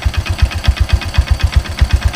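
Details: Kick-started 2012 Yamaha Byson motorcycle, 10,500 km after a 100-day tour, idling with a steady thump and sharp metallic tap on each beat; owner hears air filter noise and a worn, loose part, fears serious internal damage.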